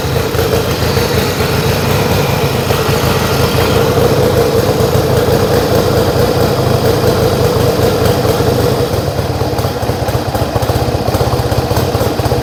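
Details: Yamaha XS1B twin after carb rebuild, dead-cylinder tune and throttle screws set for about 1000 rpm idle, airboxes back on; settles into even steady idle with no missing or stumbling, healthy.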